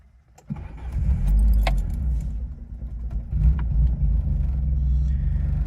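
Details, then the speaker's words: 1987 Peugeot 205 GTI 1.9 Phase 1, 32 years old, engine and gearbox fully rebuilt by specialists, warm start (not cold): quick crank, catches at once, even idle with a faint light rattle typical of an old French car; healthy. "Again, nice idle, a little bit rattly being an old French car. It's 32 years old, but again, starts up nicely as you'd expect after a full rebuild."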